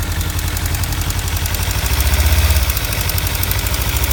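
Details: 2015 Kawasaki Ninja 300, warm twin-cylinder idle: a light, quick metallic ticking rides on the low thump. It started a month or two ago and appears only once warm; owner suspects the cam chain tensioner or loose exhaust header bolts.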